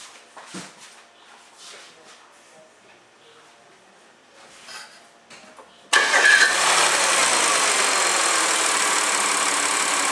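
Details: 2009 Audi A4 3.2 engine: after a few quiet seconds it fires up and idles with heavy, fast, steady valve ticking over the hum.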